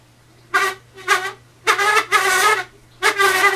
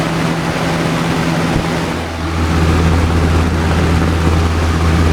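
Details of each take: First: Old Lasko box fan nearly seized, stopping immediately at turnoff: low motor hum under five loud, squeaky creaks irregularly about every three-quarters second; bad creaking before fix, cause suspected, not confirmed. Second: Old Lasko box fan after repair of bad creaking and near-seizure: steady low motor hum and even airflow whoosh, no creaks or scraping; running smoothly.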